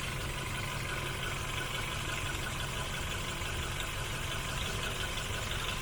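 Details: Hyundai i10 after DIY rough-idle fix: even, steady idle with no stumble or surge, constant level throughout. Normal idle.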